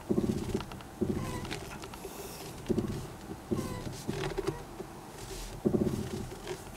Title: ステアリング異音